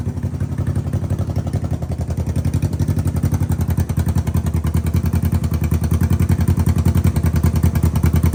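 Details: Honda CB360T twin first started after many years off the road, following engine clean-out: even steady exhaust pulses picking up cleanly as throttle opens, no knocks or rattles; running and revving normally.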